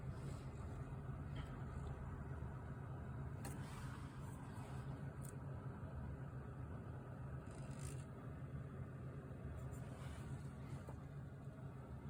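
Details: RTX 3060 Ti graphics card fan at medium to high speed: steady loud low droning buzz with no speed change; fan buzzing.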